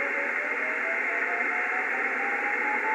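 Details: Yaesu FTdx5000MP receiver, antenna disconnected: thin beacon-like warbling tone over receiver hiss, pulse slowing as dial is tuned down; caused by loose data cable between FTdx5000MP and SM-5000.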